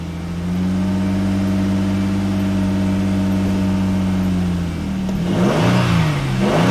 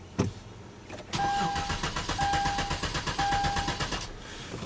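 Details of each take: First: 2011 Hyundai Genesis 3.8L, after a crank-no-start fuel pump repair and fuel supply line refit: catches and settles into a smooth idle, then revs up and down cleanly; runs healthy. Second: 2011 Hyundai Genesis 3.8L, crank no start, battery on charger: steady even starter cranking for about three seconds, never fires or catches; failed fuel pump delivering no fuel.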